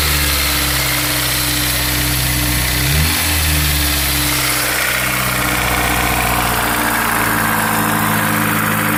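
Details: Honda S2000 AP1 petrol engine idling steadily with a light, fast tick/rattle over its hum.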